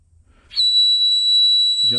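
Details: Kenworth K100E Aerodyne cabover, air leaking from the 13-speed transmission splitter valve exhaust at the back; a loud, steady high-pitched whistle holding one pitch. Owner suspects a blown O-ring. Air leak whistle.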